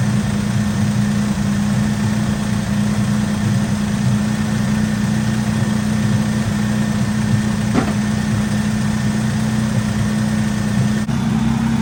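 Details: 1964 Oldsmobile F85 Cutlass, one-owner, 67,000 miles, revived after 33 years sitting, restarted after a bad hose and dirty fuel filter: a steady, even idle with a low hum and no knocks, misses or stumbles, though it idles slightly high. Muffler is blown out.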